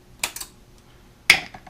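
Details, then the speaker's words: 2004 Ford F150 cruise control/shift actuator solenoid bench-tested on a 12 V power supply: two crisp clicks about a second apart as it pulls in and releases. The solenoid works normally; the owner suspects a burned-out transistor caused the fault. "so let's see now I'm gonna turn it on when I touch this this lead it should pull it back and it did so"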